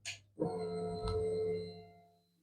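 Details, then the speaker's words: Honda motorcycle that had stood about two years and would not start (injector fault codes), ignition on after reassembly: short steady electric hum rising and fading in about two seconds, the fuel pump priming normally; it still would not start afterwards. "First thing we're waiting for is to see if the fuel pump's going to prime."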